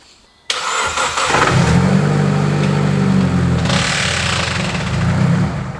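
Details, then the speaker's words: Mitsubishi Evo X rally car, first start after transmission fluid drain, refill, new filter and cooler line retightened: sharp crank into a rough, lumpy idle with odd pulsing underneath; owner suspects the transmission. "it oh that did not sound good people something wasn't right there and I reckon that's the transmission"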